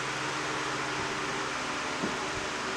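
Soft, even airy hum with a low steady motor tone and no ticking, scraping or wobble; fan runs healthy.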